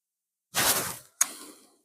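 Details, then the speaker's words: Boiler heating system being prepared for winter with the pump switched on: two short bursts of hissing air as the automatic air vent purges air, with system pressure dropping slightly. "Ні, він ще ще впаде, бо >> воздушник випускає повітря, розвоздушується."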